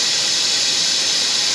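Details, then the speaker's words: 2020 Toyota Camry, 2.5 L A25A four-cylinder, coolant service: a loud, steady, high airy hiss that never changes pitch, the air-driven filler pulling vacuum on the cooling system normally until the gauge reads green. "now this is going to get a bit noisy so I do apologize in advance here but let's go"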